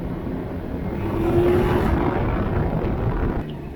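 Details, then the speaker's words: Can-Am Ryker after airbox rattle fix (airbox halves sealed with rubber foam weatherstrip tape): riding at low revs, steady road and wind rush over even engine drone, no heat-shield-like rattle; normal ride, rattle gone. "all right guys i gotta be honest i didn't think that was gonna work as well as it did before the rattle was so loud that it sounded like a heat shield or something like that rattling underneath um but yeah i mean that fixed it really well"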